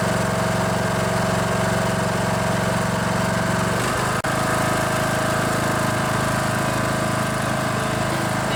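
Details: Poulan Pro riding mower with a Briggs & Stratton Intech 19.5 hp engine, which cranked but wouldn't start. After the stuck fuel (anti-backfire) solenoid was freed and clicked again, it fires up and runs with a steady, even drone, one pitch shift, no stumbling: normal running.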